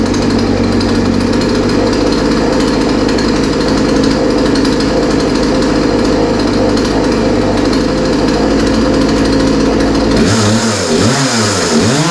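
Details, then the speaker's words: Poulan 3314 chainsaw with the chain off, after carb cleaner, priming and setting the throttle: a steady, high-revving two-stroke buzz without stumbles, throttle dropping near the end; it runs clean, the only fault probably having been the chain coming off. "yeah yeah so yeah that sounds pretty good I mean I didn't really expect any different after all it was running before we started working on it"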